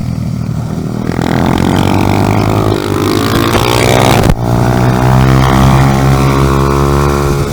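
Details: 2018 Honda Grom salvage engine replacing the 2014 motor, first run with intakes not yet connected: small single revs up and settles with an even, steady firing beat, no knocks or rattles; normal running.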